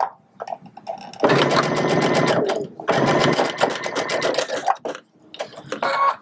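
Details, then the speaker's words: Sewing machine, stitch length 3, top thread tension set far too loose: two bursts of rapid harsh stitching with rough rattle in the needle rhythm; top thread bunching and bird's nests underneath; top thread tension too loose. "certainly sounds like the machine doesn't like that all right so this is what happens when your tension is way too loose"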